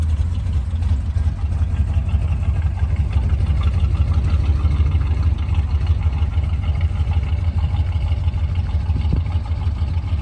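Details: 1973 Chevy C20 V8 after replacing spark plugs and fuel filter, restarted to listen to the fuel pump: deep, slightly uneven loping idle with no misfire knocks, steadier and stronger now but the carb still runs rich.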